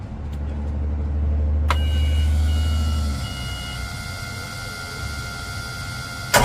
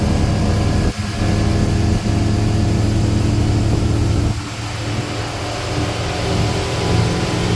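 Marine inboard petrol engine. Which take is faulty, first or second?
first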